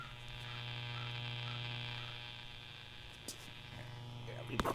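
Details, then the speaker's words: 1951 Montgomery Ward Airline 25WG-2765D radio being restored, first power-up: constant low buzz from the speaker, steady and unchanging, ending in clicks; drawing 46 watts, lower than the expected ~80; cause not yet known. "Got a buzz coming out of the speaker, so the. Well, how about that?"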